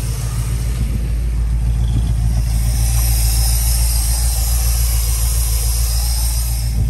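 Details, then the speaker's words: 1972 Dodge Tradesman camper van abandoned 10 years, running after a new battery, starter relay, voltage regulator, ballast resistor, fuel sending unit, fuel pump and filter: a steady, even, low idle rumble with no misses or knocks. Engine runs. "all right it's running so now we know we've got an engine so now we'll look at what we're going to do next"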